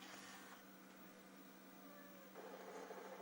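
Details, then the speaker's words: JVC HR-S9500MS VHS deck (1998) playing: steady low hum and mechanical whirr with a gliding tone and a louder rattly buzz from the Dynamic Drum head mechanism; alignment off, fast search not working, loading belt worn. "Là on entend le dynamic drum qui fait du bruit mais..."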